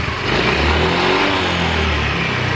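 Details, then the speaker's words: Yamaha automatic scooter that stalls suddenly, started for testing after an earlier shop repair: engine revs with a loud, rough, tinny rattle over the exhaust note; worn piston and rings. "suaranya kemerizik sekali sobat Entar kalau hidupnya sudah normal kalau dia ggak mati lagi baru kita tangani ininya sobat ya apa suara kemericiknya itu"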